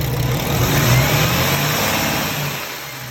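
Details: Paccar heavy diesel engine, Kenworth truck: revs and settles with a rough puffing hiss riding over the engine note, an exhaust leak.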